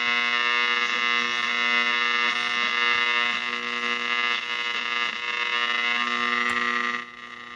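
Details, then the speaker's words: Zenith Z519 clock radio, about 70 years old, before overhaul, powered through an isolation transformer: steady harsh multi-tone buzz under the radio audio like mains hum; owner suspects the isolation transformer, not confirmed. "I'm not sure if that noise is from my isolation Transformer or what but it's very Buzzy"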